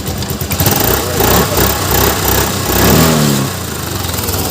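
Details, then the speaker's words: Suzuki Access 125 self-start after the starter motor was replaced, battery weak or down: quick, smooth electric start with no grinding or whirring, settling into an even idle. "अब ये देखिए start 100% battery खराब है मेरा जो sound था sound इसका जा चुका होगा"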